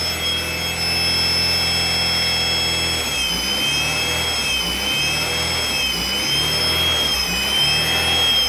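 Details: Used 1998 B20B long block from a salvage yard, swapped into a car in place of the original 1999 engine, with a new clutch and oil, starting in neutral; loud steady high screech over a rough, uneven run, followed by rod knock.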